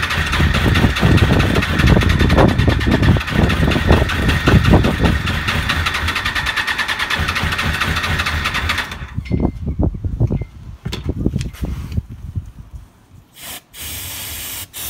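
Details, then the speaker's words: 1996 Suzuki RF900R after fuel system cleaning: catches and pops unevenly on brake cleaner, then sputters, coughs and dies, only one or two cylinders seeming to fire; carburetors suspected, need stripping; runs only on starting fluid. "Well, it seems no luck. She's just running only on the brake cleaner. So, I definitely have to take apart the carburetor."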